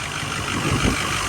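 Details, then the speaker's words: 2016 Ford F350 6.7 Powerstroke diesel, long parked, idling and driving with a steady airy hiss over the low rumble from a big exhaust leak underneath. "Big old exhaust leak under there somewhere."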